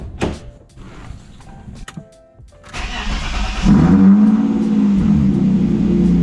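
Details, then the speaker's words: 30-year-old BMW E36 after fitting an Optimate battery: brief starter cranking, then the engine catches cleanly and settles into a steady, even idle with no misses or knocks. "yes she's alive"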